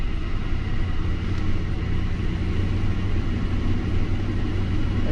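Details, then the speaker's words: Lincoln MKT (titled 2005) at a steady idle with a lumpy, uneven low thump as cylinder 5 keeps dropping out. Power balance test confirms cylinder 5 not contributing; bank 2 misfire. "number five is a cylinder that is not contributing at all"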